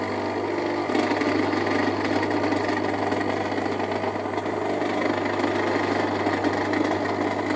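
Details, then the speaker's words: Electric motor with a steady hum and a loud, harsh rattling drone with vibration, not from worn bearings but from a loose impeller bolt; a loose armature shaft end support can also cause it and needs shimming. "Nanti coba teman-teman dengarkan ini untuk kasus dinamo yang ini nih khususnya ya yang longgar karena baunya kurang kencang Seperti apa bunyinya gitu kan"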